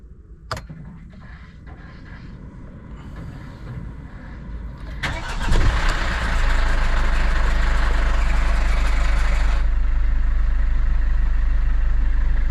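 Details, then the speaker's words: Mercedes Vito W639 2013, OM651 2.2 diesel, first start just after timing chain tensioner replacement: loud metallic rattle for a few seconds on startup, settling into steady idle; slack timing chain until the tensioner pumps up. "So actually, when it first starts, we do have those very loud rattle. Now I know how does that feel like."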